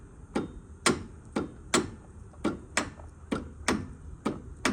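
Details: Bad Boy mower, under a year old, about 23 hours, after engine stopped with a clunk while mowing: sharp regular clicks about twice a second, engine never turns over; no crank, owner suspects seized engine.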